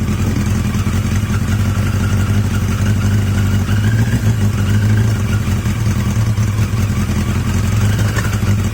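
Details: Yamaha XJ750 "Mack" at idle after a carb swap using the XJ650's carbs, filmed outdoors in gusty wind; a steady, even four-cylinder hum with no misses or stumbles, the best idle yet, running healthy.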